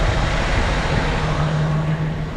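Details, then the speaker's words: Jeep CJ/YJ 4.2 inline-six after carburetor swap, hot start, idle screws about 2.5 turns out: smooth, even low rumble at steady idle with no stumbling, hunting or misfire; normal idle. "pretty hot start that's how we like it we're at about 2 and 1/2 turns out on the idle screws so a little more than we normally would be but uh it's happy as a"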